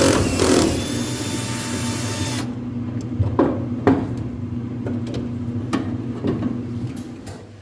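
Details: Whirlpool dryer with worn drum rollers: harsh rough grinding, then uneven thumps about twice a second as the drum turns, before roller kit replacement.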